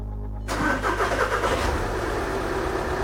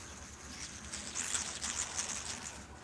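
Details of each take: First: 2012 VW Jetta SportWagen TDI diesel after a timing belt and water pump change: cranks and catches within a second, then settles into a steady, even idle with a smooth clatter and no knocks or misses. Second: 2012 VW Jetta SportWagen TDI timing belt tensioner bearing, spun by hand: faint, dry scratching patter as it turns, rough and noisy, during a timing belt and water pump change.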